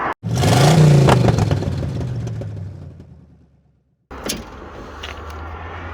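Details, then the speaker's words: 1966 Chevrolet Corvair Corsa engine revving: quick, regular metallic clatter about three per second; owner suspects a dropped valve seat; began after highway cruising at 60 mph with oil pressure and temperature normal. "it's my 66 Corsa with a dropped valve seat bad deal"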